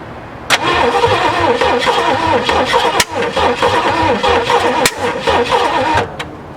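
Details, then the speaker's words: 1967 Ford F100 V8, first start attempt after sitting 29 years, with gas poured in the carburetor: the starter cranks with a few sharp, irregular pops as it backfires through the carburetor. "pop into the carburetor that ain't good oh my God"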